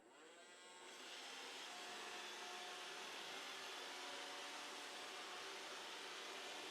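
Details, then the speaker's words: Roomba after replacing the intermittently spinning side brush motor with a genuine iRobot part: soft, even whir with no grinding or clatter, much quieter than before; runs healthy. "But in just a moment, you're going to see it actually starting up, and it's so much quieter now. It's like a different machine. It's just so quiet."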